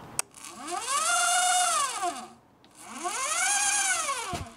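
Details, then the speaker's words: Omega Trac powerchair (TEFTEC), turning motor driving pulleys to the spider-gear gearbox shaft: whine climbs then falls twice as the motor spins up and down; source unknown despite lubricating the pulleys. "and I've tried lubricating all these pulleys and everything I'm not quite sure where that noise is coming from I will have to figure that out at some point"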